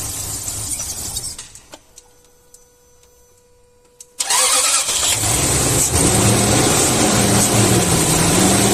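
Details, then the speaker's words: Car engine blowing blue exhaust smoke starts and fast-idles with a light, regular tapping. The teardown showed excessively worn cylinders letting the pistons rock, causing piston slap. The engine was dismantled for repair. "por eso Por esa razón eh tenía un pequeño ruido no en el motor no sé si han podido evidenciar en el momento de funcionamiento un pequeño golpeteo y eso ocasionaba estos pistones"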